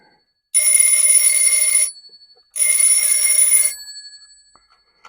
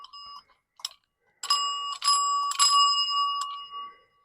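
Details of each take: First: Old telephone bell ringer with stranded bare wires, powered up: two loud bright one-second bursts of rapid even ringing, not continuous; ringer works, then the screw came out. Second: Old telephone ringer bell, stranded bare wires, connection possibly poor, being cranked: rings only in short, uneven bursts with gaps, never a full steady chime; weak, sluggish ringing of an old, tired bell.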